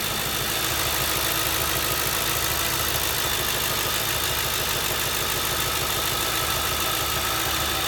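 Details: 2007 Ford Crown Victoria idling with an uneven, stumbling pulse under a hissy background, rhythm skipping now and then: misfire at idle, cause not yet found.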